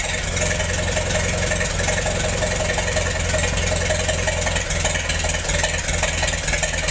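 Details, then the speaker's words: Massey-Harris 44 tractor, sat 30 years and stuck when acquired, stored 10 more, after freeing stuck intake valve and refitting a misassembled rocker part, replacement points: steady, even low rumble, regular firing, no knocks or misses; normal running. "I guess that's not too awful bad for a tractor that sat for 30 years before I got it. The engine was stuck when I got it."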